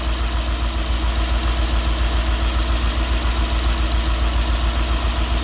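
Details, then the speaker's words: Nissan D40 Navara with swapped-in VK45DE V8, first start after engine change, slow lopey idle, one cylinder dropping out each cycle; owner suspects injector, found to be a dirty injector connection. "i think we still got one not quite right yeah it feels like one down"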